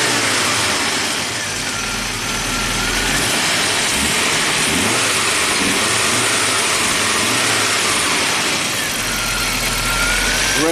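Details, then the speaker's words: Rare abandoned Audi turbo, cold engine in neutral, after a blown fuel line under the car was repaired: even, steady idle that rises smoothly with a light rev and settles back, noisy fuel pump audible; running normally. "the fuel pump is noisy but it's running so pretty neat"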